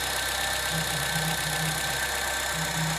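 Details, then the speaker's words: Honda Civic Hybrid after repair for P1024 valve pause system sticking and P0300 misfire; steady, even idle and smooth revving with a low hum, no extra noise, knocking or misfire, no check light. Normal idle. "हां पे आप देखेंगे तो बिल्कुल smoothly जो है गाड़ी race गाड़ी है एक्सीलरेट हो रहा है कोई एक्स्ट्रा आवाज़ नहीं है"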